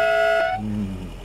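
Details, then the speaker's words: Citroën DS with the 2.1-litre engine sounding its twin horns: two tones clash in a harsh, discordant chord. The owner says the horns are a little out of adjustment and have not been adjusted since he got the car back. "it's a very what I love about that too is like you can hear the two horns and it's done in such a way where it's a very um it's very discordant right like there's a lot of kind of crunchiness"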